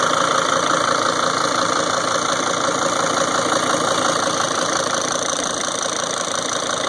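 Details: 2003 Sprinter diesel van idling with a steady ticking knock at roughly three beats a second over the engine clatter, louder than normal. The owner doesn't know the cause.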